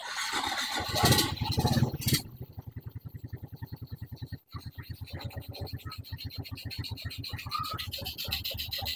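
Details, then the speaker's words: Suzuki Smash motorcycle after carburettor service, with fuel-tap vacuum line primed and a new spark plug fitted, air filter still off: catches immediately and settles into a steady, even idle of about two beats a second; normal idle. "langsung hidup nyala langsam ya kemudian kita pasang dulu dulu filternya biar enak nyetelnya"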